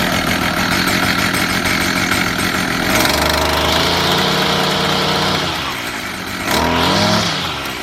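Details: Stihl FS55 straight-shaft trimmer two-stroke after teardown, rebuild and clearing a clogged spark arrestor screen, started on choke and primer: catches after a few seconds, buzzes, revs up and settles unevenly; starts and runs, carburetor not yet adjusted.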